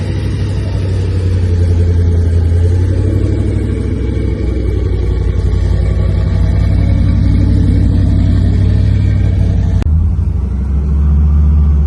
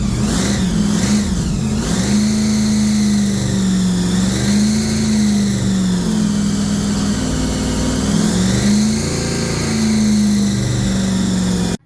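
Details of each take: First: Blown 383 stroker V8 in a custom 3rd Gen Camaro IROC Z28 with twin Holley four-barrel carbs, after replacing the worn cam and failed lifters that kept it from idling; deep, loud, lumpy choppy idle, no ticking or knocking. Healthy idle. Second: 3rd Gen IROC Z28 Camaro, blown 383 stroker with two Holley four-barrels, after new cam and lifters; V8 held on throttle with revs rising and falling, then dies abruptly when pedal released; carb idle set too low.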